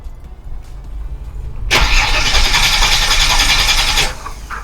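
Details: Holden VY Commodore (listed as both 3.8 V6 and 304 V8), not started for 7 years in a backyard with possible rat damage. Fuel relays refitted and fuel pump suspected. Steady starter whirr for about two seconds with an even rhythm, no firing: crank, no start.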